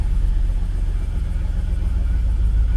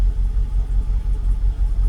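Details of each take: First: Jaguar XKR (X100) with an intermittent rough idle, tested with a cam cover bolt removed near the cam position sensor; low rumble sagging unevenly as revs drop at idle. Owner doubts the bolt is the cause. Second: Jaguar XKR (X100) V8 idling evenly with a low, gently pulsing rumble after needing throttle pumping to restart; intermittent rough idle suspected from cam position sensor or a cam cover bolt; revs later drop; normal idle for now.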